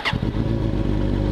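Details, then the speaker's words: Suzuki GSX-R idling after the drilled-out butterflies: it catches and settles into a smooth, even, steady low burble with no odd rattle or surge, and the earlier funky sound is gone. Normal idle. "So far so good. It's sounding a lot better. I can't hear that funky sound."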